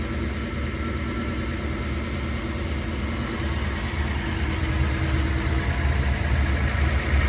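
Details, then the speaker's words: Idle after rebuilding three Solex Mikuni Type R carburetors, done because leaks caused bad cabin smell and poor running: smooth, even low idle, steady rhythm, no hunting, misfire or stumble; normal idle. "But yeah, very, very stoked. My first 3 ever carb rebuilds seem to go pretty okay."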